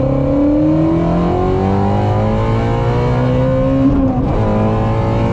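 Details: Ford Mustang GT350R at full throttle, on a new tune meant to fix an ongoing issue, with advanced track mode off: strong note climbs smoothly with a clean shift near four seconds, no stumble or cut; healthy pull, the fix worked.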